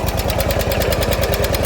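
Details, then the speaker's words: Small lawn mower engine at idle after sitting: sharp regular tick with each firing over a lumpy idle; owner suspects a valve issue, possibly fixable with a valve adjustment, unconfirmed. "Actually sounds like a valve issue to me. We might be able to just do a valve adjustment on this."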